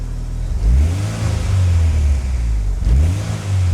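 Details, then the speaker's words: Turbo Acura Integra after new injectors and ignition timing corrected, good AFR and steady idle; two clean quick blips returning smoothly to idle with no stumble, revving normally. "So we have a good AFR number, and then we have a good idle. So now let's give it some revs. That is much more normal."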